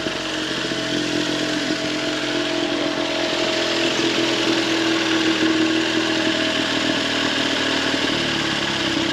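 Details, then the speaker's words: 1911 Scott two-stroke motorcycle, first start after mechanical restoration following years unused, with gummed carburettor air holes cleaned and an AMAC carb fitted: steady buzzy lawnmower-like beat, no misses or rattles, running cleanly. "it's got the little fella fired up listen to that sounds like somebody mowing their lawn"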